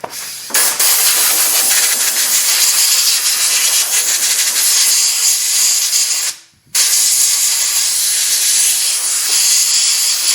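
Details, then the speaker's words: 2003 Mercury Sable 3.0L SOHC with extended crank after sitting, no codes, runs fine: sharp, continuous high hiss briefly cutting out and resuming as fuel drips and leaks from a cracked fitting on the fuel pump housing, which is being replaced. "there you can see it dripping now which is what i saw when i first looked at it pretty interesting leaking right out of that"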